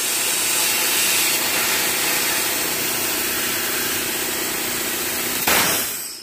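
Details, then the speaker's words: Hyundai Genesis Coupe BK1 2.0 turbo under a boost leak test, pressurised to about 15–16 psi by compressor: loud, steady hiss of air escaping at the stock blow-off valve, cutting off near the end; car had weak power and erratic boost. "one of this one of the reasons is the leak over here and supposedly this a common problem"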